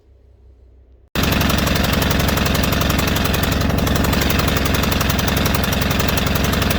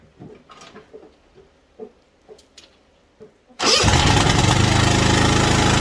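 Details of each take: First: White Outdoor LT542G riding mower that was running rough and erratic, using a lot of fuel and putting gas in the oil: a loud, steady pulsing run that doesn't change from slow to fast throttle. The engine is lean from a missing carburetor main jet. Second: White Outdoor LT542G riding mower after repair, with the missing carburetor main jet reinstalled and anti-backfire solenoid and O-rings checked; catches at once and settles into a strong, even, steady beat with no misses, running healthy.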